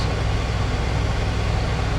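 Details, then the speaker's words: 2001 Toyota Camry 4-cylinder, after all coolant hoses were replaced: smooth but fast raised idle holding around 2100 rpm, dipping slightly with AC on full; high idle, suspected stuck-open idle air control valve. "So, in each instance, the idle still stays really high at 2100. If we turn on the AC to full blast, it drops a little bit, but it's still way too high. I'm wondering if the IA valve or the plunger, if there is one, is stuck open."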